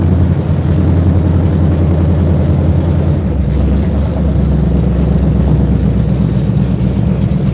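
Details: V8 fresh off a month on the dyno, ram-horn D-shaped exhaust manifolds, open manifolds with no exhaust system fitted: loud, deep, even rumble with open-header bark and steady loping firing; normal idle with open exhaust.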